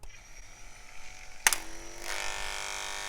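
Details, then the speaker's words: Wahl KM10 cordless dog grooming clipper after blade drive replacement, same blade refitted: switches on to a buzzy rattly whine with a harsh edge that persists; loose blade hinge screws suspected, hinge assembly may need replacing. "it's still making noise so we replace the blade Drive now we may need to replace that blade hinge assembly"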